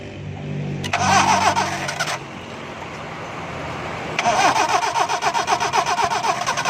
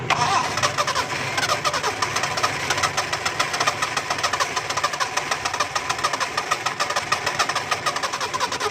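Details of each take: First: Car cranks in two bursts with a steady rapid chug, about four turns a second, but never catches after an engine pressure wash. Crank-no-start with water found in the ignition. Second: Car that wouldn't start after engine washing: engine catches and settles to a rapid, even idle with no misfire, now starting properly.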